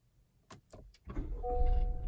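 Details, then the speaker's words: Honda Accord/Civic push-button start with a dead key fob battery, fob held near the start button: soft clicks, brief starter whir, then the engine catches into a steady low idle; normal start. "Now it starts up."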